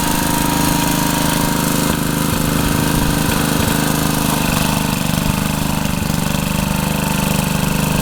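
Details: Rebuilt Troy-Bilt tiller tilling a garden under load: steady, even drone with firm low thump, no knock or misfire; runs healthy, though owner saw heavy smoke at times under heavy load while tilling and suspects blow-by past the rings.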